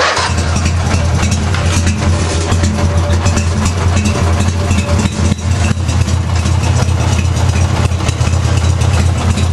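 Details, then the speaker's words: Craftsman mower with 14 hp twin-cylinder Briggs engine, new Champion plugs, spark confirmed on the weak cylinder, compression unchecked: lumpy, loping uneven idle as one cylinder runs weakly though still firing; cause unknown. Cylinder misfire. "I don't know why one cylinder's not running"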